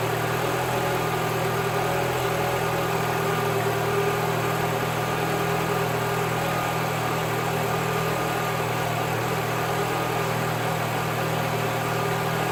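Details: 2011 Mini Cooper after repair of a failed plastic coolant tube at the back of the engine: smooth, even idle with steady low hum and no misses, knocks or ticks; running properly.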